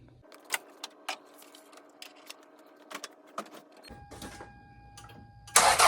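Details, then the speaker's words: 1995 Toyota Celica before replacement of its leaking OEM flex pipe, which seems to leak at the two-bolt clamp between header and cat. It cranks, catches, then a loud raspy hissing blat bursts out on the rev. Exhaust leak. "It seems like it's leaking from there. And it's creating this exhaust leak when you turn on the engine."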